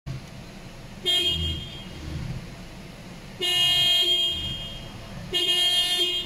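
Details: Toyota car whose horn sounds when turning but often not with the wheel straight. Three separate horn blasts with quiet gaps between them, an intermittent horn caused by a failing steering spiral cable.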